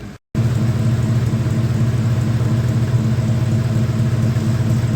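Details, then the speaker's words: 1976 Dodge D100 slant six idling after a new exhaust was fitted: steady, even low idle with a soft regular pulse and no puffing or ticking; the new exhaust sounds sealed and the engine runs normally. "yep sounds like an engine I don't hear any bad leaks or anything so I think we're in good [Music] shape"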